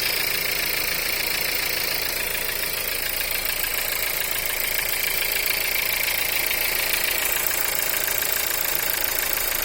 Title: Стук на холодную 1.4 tsi EA 211